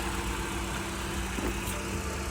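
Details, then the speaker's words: Vauxhall Corsa bought at auction, first start after checking for oil gunk: smooth, even low idle with steady hum, no ticking, knocking or stumbling; engine idling normally. "and as you can hear the engine sounds good which is absolutely great"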